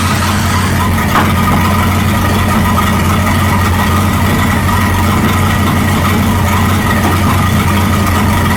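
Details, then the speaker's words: 1937 Buick Roadmaster with a loud, steady drone at fast idle that never settles; an unused starter solenoid holds the throttle open too far regardless of idle screw setting. "it doesn't matter where you set that idling screw, this little solenoid thing is holding it open too far. So this is that starter thing that we're not even using."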